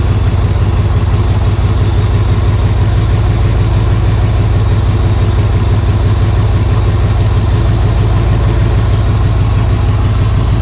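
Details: 1995 Buick Roadmaster Estate Wagon V8, just restarted after sitting several years. Steady, deep, even idle with a low rumble and no knocks or misses; it runs smoothly once fired up. Coolant leaks from the upper hose, which is missing its clamp.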